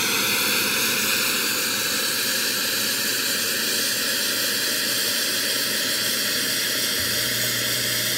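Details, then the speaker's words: Bezzera Strega espresso machine after repair, hot with full water tank: steady loud hiss without pulsing as the boiler is drained down to zero under pressure; normal boiler drain. "okay we're gonna run a test now have a full water tank fly sees on the machines hot you know we're gonna drain the border now"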